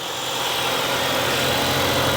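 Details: 2016 Kia Optima Hybrid, replacement engine after a thrown rod and fire, idling to charge the low hybrid battery: steady, even hum with no knocks, misses or rattles, running smooth, with some steam from the exhaust.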